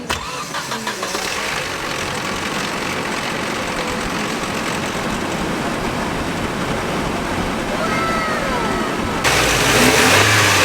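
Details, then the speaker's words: Nissan 240SX S13 KA24DE idling smoothly warm, then revving briefly, after timing chain guides were removed: no timing chain rattle remains. "it actually runs a lot better now and there's no sound whatsoever of the timing chain or anything like that"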